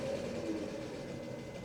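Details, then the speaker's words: 1997 Mercedes S500 coupe V8 idling after an oil change: short stretch of steady, even low rumble, no clear knock or miss; owner thinks it sounds better and happier but admits it may be wishful thinking. "I think it sounds better. I think it sounds a lot better. Maybe that's just wishful thinking."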